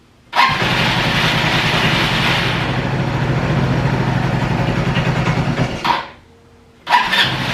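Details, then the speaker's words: Free roadside ATV on its original tank and fuel shutoff runs rough and fades out after about five seconds, then briefly catches again; owner suspects the starter button overheats and that fuel isn't being pulled from the tank; hard starting and stalling. "See, I think this button is funky because if I crank it for too long, then the button overheats and then it doesn't do anything. Doesn't quite have enough to pull the fuel out of this tank."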